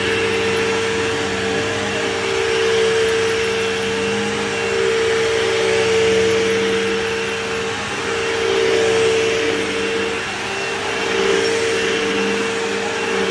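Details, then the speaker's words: Canister vacuum with big compressor motor and cord rewind: steady even motor drone with clear high whistle and airflow hiss, suction strong and consistent, picking up debris; running normally. "All right, and I can definitely hear that thing picking up stuff over here, so that's pretty good."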